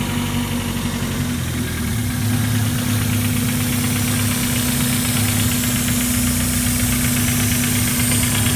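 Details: Mazda Miata first start after replacing all four injectors: loud idle with an irregular stumble of a few beats a second and a hissy edge. A shop found a cylinder 3 misfire, it seems to drop to two cylinders, and an unlocated leak is suspected.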